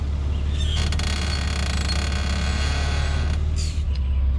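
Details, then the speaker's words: Lexus GS, passenger-side front: dry creaking screech when steering wheel turned slightly, for two to three weeks; worn upper control arm bushing, fixed by replacing upper control arms. "guys so as you can see when you turn the steering wheel very slightly it makes that annoying annoying like screeching sound that it was just it was just driving me crazy for the past what two or three weeks now"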